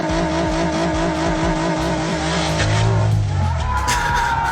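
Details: Nissan 350Z revved hard at a car meet, held bouncing rapidly off the rev limiter for seconds; sustained over-revving that ends with the connecting rod thrown out the side of the block.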